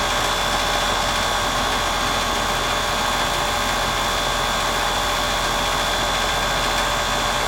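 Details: Heat pump about 6 years old, previously out of refrigerant from a rotted liquid line drier, now replaced and relocated, running in heat mode on a cold day: steady compressor hum, fan rush, faint tone; suction pressure about 60-61, going in about 110, acceptable normal running.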